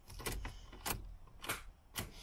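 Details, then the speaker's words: 2011-12 Ford Focus 1.6 diesel, 45,000 miles, key turned with clutch pressed: four dull solenoid clunks about every half second, engine never cranks, dash lights stay bright; loose starter motor terminal connections starving the starter. "Clunk, clunk. All the lights on the dashboard come up good and strong. They don't dim when we turn the key."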